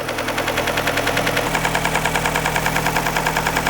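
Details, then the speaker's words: 2003 Nissan Sentra SE-R 2.5L, first start after timing chain and water pump replacement: a sharp regular tick about three per second over a steady idle. Oil level is correct; a lifter bucket under the cam on one side is suspected. "Sounds nice and smooth though. Nice. I don't like that noise. Oh, and it's drive-by-wire, so I have to use the gas pedal to raise the RPMs. Don't know why we're getting that noise."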